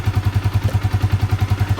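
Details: Yamaha Vixion single-cylinder motorcycle idling after reboring to fix a piston-wear ticking ("kletek") noise; even thumping about eight beats a second, no ticking or clatter, compression back to normal, engine healthy.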